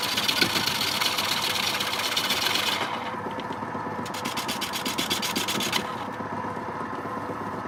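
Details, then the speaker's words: Record wood lathe turning a heavy, wet quilted sycamore bowl blank: pulsing, wavering rasp that rises and falls a few times a second under the cut; cause unconfirmed, suspected tool-rest contact or a blank too wet and heavy for the machine. "something's wrong here this warbling sound vibration is some kind think something was touching the tool rest"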